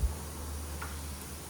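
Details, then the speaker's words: Toyota Corolla 1ZZ engine, disassembled with oil drained: faint hollow clicks about every 0.8 s as the No. 4 piston is rocked in its worn bore, with far more play than the other pistons; excessive piston-to-bore clearance. "यह जी बहुत ज्यादा आवाज आ रही है इसमें इस तरह तो यह बाकी पिस्टन देखें इनकी कम है लेकिन जो चार नंबर पिस्टन है उनकी ज्यादा है"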